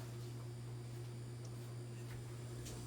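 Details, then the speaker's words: 2012 LG French door refrigerator where the fridge section was not cooling: a quiet, steady low buzz from the rear compressor that never wavers or clicks off. The compressor is humming normally. "If your compressor in the back is humming and that fan behind the fridge your compressor's in here, if you can hear"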